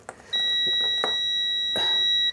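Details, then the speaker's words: Coffee machine float switch tested off-machine with multimeter on its two wires: moving float upward gives one clean steady two-second beep, showing continuity; float switch closing properly. "And after that slowly move it upwards. See, see this. See this has been removed. Then if you move it upwards, it will make a sound."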